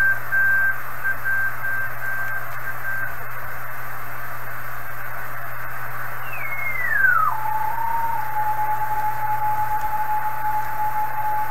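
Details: 1980s Kenwood TS-430S after Kenwood's relay-contact procedure, antenna reconnected, stepping the 1 MHz switch mid-afternoon: steady carrier tones over even hiss with a sliding tone and digital chatter, volume changes from antenna signal level; normal reception.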